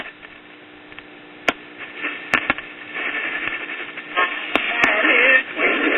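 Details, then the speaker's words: Late-1930s Majestic tube radio mid-repair, switched on at about 7 pm and pulling in distant DX stations at the high end of the band. Clear station audio with light static crackles and occasional pops: normal reception. "all right we're about it's about seven in the afternoon and we're already getting some dx at the high end of the"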